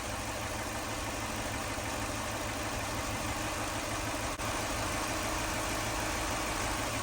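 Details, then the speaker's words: 2004 Lexus GX470 after full teardown and retiming, no coolant in it, smoke suspected to be residual radiator fluid; steady, even idle around 700 rpm with no misfiring or skipped beats; sounds good when revved; normal idle. "She's idling really good. It doesn't sound like she's misfiring."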